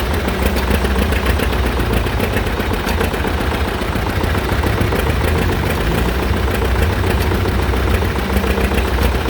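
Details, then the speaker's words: John Deere Model R tractor big diesel engine at first start after the pony motor was rebuilt, reinstalled and used to start it, following injector work and freeing a sticking fuel rack; loud, steady chug holding an even pace; normal running. "We successfully got the pony motor rebuilt, put back on the big engine, and used it to start the big engine, and the big engine started pretty easily after doing the injector work and all that sort of thing."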